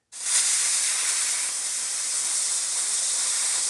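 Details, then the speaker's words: Leak-down tester for a Yamaha YZ250F engine, simulating a big leak on the tester before connecting to the engine: loud, steady, high-pitched rush of escaping air, much stronger than a small leak. Large air leak hiss. "and now i'm going to simulate a little bit of a lick a leak and you're gonna hear that noise the hissing noise all right and now i'm going to simulate a big leak"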